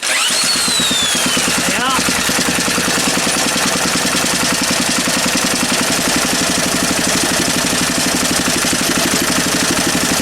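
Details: Small engine after refitting the flywheel key and setting the air gap; steady even firing beat throughout, no misses or knocks. Earlier sheared key and shifted flywheel blamed on an overlong bolt; now running normally.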